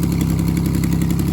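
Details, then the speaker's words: 1987 Pontiac Fiero 2.8L V6 started after fitting a belt slip eliminator pulley; alternator voltage comes up well; loud, raspy idle with a rapid, even puffing tick because the number six cylinder manifold has no bolts; exhaust manifold leak. "sounds like a race car number six cylinder has no bolts and a mandible there but look at her go"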